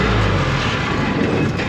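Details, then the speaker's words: Air compressor engine roars steady at wide open with no drop to idle because no air pressure builds to actuate the idle-down cylinder; suspected stripped compressor drive coupler in the bell housing area, not confirmed. "So when we start it up, it goes right to wide open because it wants to build air pressure. Right there, if that had air pressure, that would push on that cylinder and idle it down."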